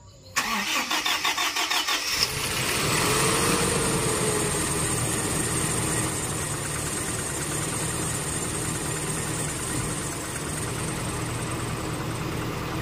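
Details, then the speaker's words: Toyota Innova 1TR after new spark plugs, air filter and throttle body, fuel regulator line disturbed: cranks and catches, then uneven lumpy idle with knocking, still ignition coil misfire. "Nah, kami masih menemukan sinyal, masih ada bunyi ketukan setelah mengganti throttle bod"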